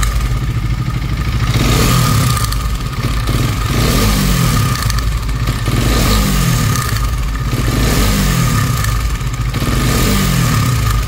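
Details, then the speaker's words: KTM Duke 250 BS6, nearly new, before repair: throttle blips bring a harsh metallic top-end clatter that rises with revs. The timing chain was found worn and replaced. "नई गाड़ी है अभी BS6 वाला model है ये। तो इसमें engine की नॉइस आ रही है। क्यों आ रही है?"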